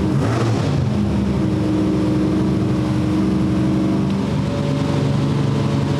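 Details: Old-school small block Chevy with mechanical 8-stack individual throttle injection in a Fiat drag car: lumpy idle stumbling as revs sag, cylinders dropping out at low idle; owner suspects each throttle blade slightly off in its bore, plugs flooding one side.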